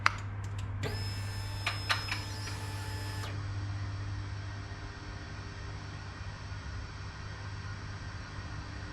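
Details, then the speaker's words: 2019 Triumph Scrambler 1200 at key-on, no start: a thin high whine from the engine body for a few seconds, then a low hum, with the check engine light on. Owner wonders if it's the fuel pump. "And then I hear this really weird sound coming from the body of the motor. Do you guys hear that whining? I'm obviously no technician, but at first I was like, maybe it's the fuel pump or"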